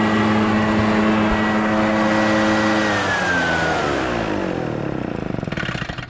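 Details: Echo PB650 two-stroke backpack blower, barn find unused about 5+ years, running on fresh gas while clearing a roof and gutters: steady high buzz sagging smoothly as throttle drops; runs clean and even, no stumbles.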